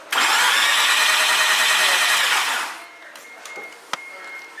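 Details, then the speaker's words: Mazda FD RX-7 rotary no-start: starter spins engine at a steady whir about two and a half seconds without firing; new spark plugs but very weak spark seen, crank signal present; fuel issue earlier suspected, cause unconfirmed. "yes we have the weakest spark in existence it couldn't even start up a fire for a caveman if he tried"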